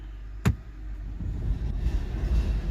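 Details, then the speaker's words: 2007 BMW E60 525i, about 65,000 miles, hummed then stopped driving: sharp clunk put in drive, then deep growing rumble as driveshaft spins but car won't move; failed rear differential. "the customer complaint is he was driving hearing like a humming noise and then essentially stopped like it just wouldn't drive anymore"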